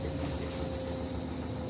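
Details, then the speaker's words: Samsung automatic washing machine after repair of tak-tak spin noise (tub assembly, bearing and absorber addressed), quick wash cycle: soft, even hum with a faint steady tone, no knocking or scraping; drum spins quietly. "Tsaka absorber ngayon tahimik na mag-spin."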